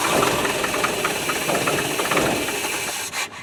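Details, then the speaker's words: Land Rover 90 with early fuel tank newly fitted, old Weber carburetor possibly flooded with petrol, cranked with float bowls open: uneven churning crank drags on before the engine catches and runs roughly; long crank before starting. "I'm just wondering whether you just needs a damn good cranking through cuz they all petrels in there"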